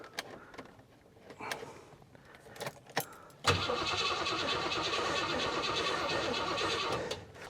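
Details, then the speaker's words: Garage-find Rover P6 3500 V8, weak battery on a jump pack, choke out: steady fast starter churning for several seconds with no catch; cranks but won't start, owner thinks it's not getting fuel and will feed petrol directly. "right I'm going to try cuz I think it's not getting any fuel okay just um give it a fuel supply"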